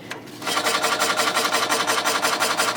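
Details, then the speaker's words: 5.25-inch floppy drive in a NuXT (PC XT clone) build after a power supply swap: harsh repetitive rasping, about three strokes per second, while seeking, worse than the other drive; owner suspects it is riding up on something; drive not working. "okay well I can guarantee you it wasn't doing that before it might be doing that because it's riding up on something yeah that doesn't seem like it's working in fact that's actually even worse than the other drive"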